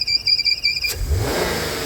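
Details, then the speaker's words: 2007 Audi TT six-cylinder idling with a steady high-pitched squeal like a fan belt, which began after front-end crash repair and stops above idle; cause is a failed diaphragm in the PCV valve inside the rocker cover, drawing in vacuum. "So the PCV valve is causing that because it's sucking it in. So the diaphragm's gone in the PCV valve."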